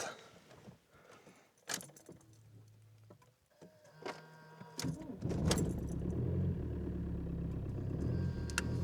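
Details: 2006 Audi A4 Avant 1.9 TDI PD with just over 500,000 km, after its accessory belt tensioner bolt broke: keys and cabin handling, then the diesel catches and settles into a steady low clatter at idle with no stumbling, smoking slightly; normal idle.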